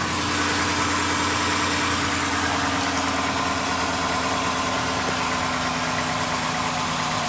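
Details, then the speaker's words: 2016 Dodge Grand Caravan 3.6L with accessory belt removed: even idle with no whine or rattle; the earlier startup noise, first suspected as timing chain or variable tensioner, is the alternator bearing. "el problema es el alternador el bicing del alternador que es el que está causando el ruido al arranque sin la banda sin la faja o la banda de los accesorios pues no no no hace ruido"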